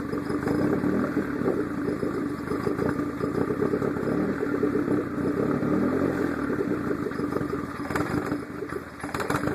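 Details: Engine with Hydra ignition idling after 10–15 minutes running hot: uneven, stumbling beat with dropouts, a misfire attributed to the Hydra's diode overheating issue; runs fine cold.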